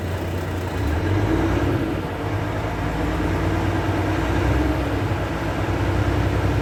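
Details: Volvo truck after air dryer leak repair, started up at idle: steady diesel idle with compressor chugging underneath, no escaping-air hiss; air system charging normally toward green.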